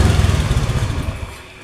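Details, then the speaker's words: Motorcycle after fixing a fuel pump that would not hum at key-on, pump pressure about 50 psi; short burst of quick, even firing pulses settling smoothly, no misses or knocks; engine runs healthy after starting. "Oke, sekarang starter. Nah, nyala Pak. Mantap."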